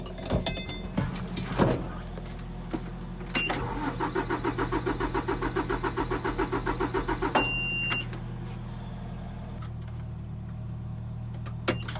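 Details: Hay-baling diesel tractor with weak battery, jump-started: slow, even starter chugging, about three or four turns a second for several seconds, never catching; long crank, no start; took three hours and ether to start.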